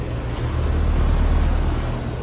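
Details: 2022 2-ton Payne outdoor heat pump unit, installed last year, running: steady, even low hum from compressor and fan with no knocks, rattles or surging; normal running.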